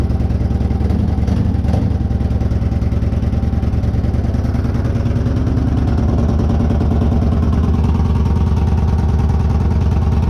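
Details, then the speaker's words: 2014 Victory Cross Country Tour salvage bike, first start after being picked apart, with staccato mufflers: loud, deep, loping V-twin beat at roughly three pulses a second, steady with no misses or clatter; a healthy idle. "the selvedge not Salvage bike runs and it sounds really good I mean it staccato mufflers"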